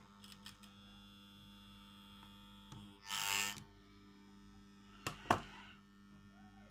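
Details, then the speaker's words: Vintage wooden Metamec electric clock, almost fully disassembled, old mains coil powered with the old clock's wire: faint steady buzz with handling clicks and no ticking; the coil is energised but the gummed-up movement isn't running. "I've discovered it's just buzzing, but the thing is almost thoroughly disassembled."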